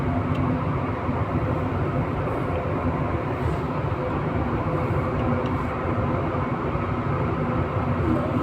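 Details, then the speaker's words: 11 kW AHU blower motor with belt fitted, after fixing one missing phase through the soft starter: steady even roar at constant pitch, no surging or growl; phase currents checked, running normally. "ठीक है इसका fault अभी ये जुम्मे में फल था ना मोटर एक फेस नहीं जा रहा था जिसकी वजह से मोटर का साउंड अपना नॉर्मल था"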